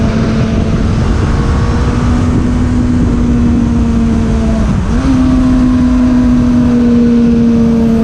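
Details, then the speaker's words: 2002 Suzuki Bandit 600 (GSF600), stock jetting and exhaust, new plugs, PAIR delete, on a ride: smooth, clean engine note climbing steadily through a gear change with no stumble or hesitation; pulling strongly. "Been able to hear it fucking screams now. No hesitation at all."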